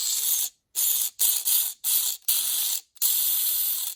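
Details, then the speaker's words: MA-030 Evo RC car with new 4100kV motor and front one-way differential: harsh high-pitched scraping bursts each time the motor spins up; diff gear screws protrude and scratch the housing. "you can hear there's definitely some screeching coming from the front differential area and at this point I realize that it's the screws that hold the gear to the front differential itself those screws are sticking out a little bit too far and they're actually scratching the front differential housing"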